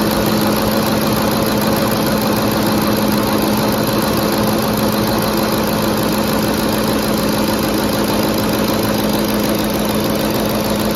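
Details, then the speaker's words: 2010 Ford F-150 5.4L 3-valve V8 idle after VCT solenoid replacement; even steady hum, only faint valvetrain tick common to these engines, no misfires, idling normally. "doesn't appear to have any misfires or ticking. Sounds pretty good. I mean, aside from that ticking, but they all do that. Every car."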